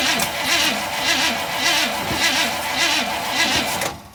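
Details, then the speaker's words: 1958 Chevy Biscayne with 283 V8, good battery and fuel pump, cold day; starter cranks steadily at about two turns a second with no firing, then stops; it nearly caught earlier when the choke was opened. Cranks but won't start. "we got nothing. No, might have to sit again for a minute."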